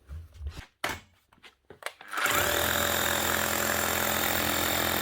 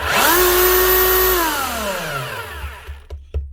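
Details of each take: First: Makita HR3000C SDS hammer drill from 2000, sparking overheated motor, previously no hammer: spins up to strong steady hammering roar; hammer mechanism works fine, only motor needs replacing. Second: 24-year-old (2000) Makita HR3000C SDS hammer drill in hammer-drill mode: the motor winds up to a smooth, high, steady whine, running too free and fast with no hammering beats. Suspected broken piston or crank in the head. No hammer action.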